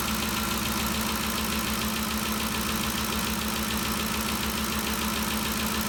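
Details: 2013 Ford Expedition after valvetrain repair for loud ticking (suspected cam phaser or timing chain): steady, even idle with smooth rhythm and no clear top-end ticking; noise gone, engine healthy.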